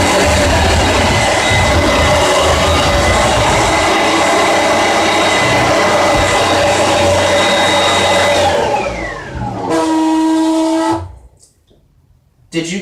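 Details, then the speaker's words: Oreck XL21 bagged vacuum cleaner: runs with a steady whir, then at switch-off the pitch sags and an odd humming tone rises before dying out; owner unsure whether the motor or the bearings are at fault. "it makes a weird noise when you turn it off I don't know if it's the motor or the bearings or whatever but there is something wrong with this vacuum"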